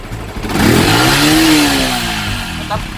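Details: Yamaha Vixion (old model) after cleaning the corroded ignition-key socket that made it die on the road; charging checked at 14 V when revved: smooth climb on a quick blip, settles back evenly, no misfire, knock or rattle; normal.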